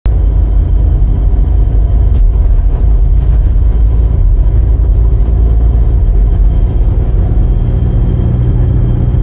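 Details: Engine with abnormal turbocharger noise before replacement with a rebuilt turbo: heavy low rumble with a thin, steady high whistle on top; turbocharger whine.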